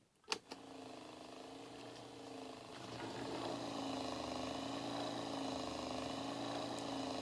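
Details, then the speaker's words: Table-top fan that was slowing down and overheating, run as a bare motor unit: clicks, then a rough grinding, pulsing hum from the fan motor. "you can hear it kinda grinding and pulsing that's what we want to fix"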